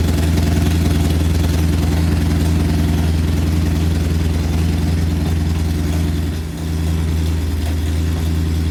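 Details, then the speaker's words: Porsche 928 V8 idling with a homemade stainless exhaust, straight-through front silencer and X pipe fitted; deep steady burble with strong low rumble, about 87 dB on a phone meter, down from 91. "Right, so we're sitting about 87 decibels, I guess. It was up at 91."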